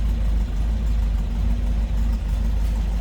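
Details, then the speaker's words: 1971 MG MGB inline-four, about 57,000 miles, new carb, shortly after cold start: steady, deep, even idle with soft exhaust note, no knocks or ticks, sounds as expected; healthy engine. "Sounds like you'd expect out in line 4. Nothing crazy. No wild exhaust."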